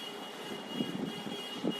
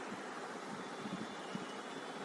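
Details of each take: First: Maruti Suzuki Swift petrol engine idling unevenly with heavy irregular thumps, the whole engine shaking: a misfire with cylinders not working, later addressed by replacing spark plugs and ignition coils. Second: Maruti Suzuki Swift petrol engine idling evenly with a steady hiss and no misfire, after replacing all four spark plugs, the ignition coils and a faulty wire; cylinders 1 and 4 had not been firing before.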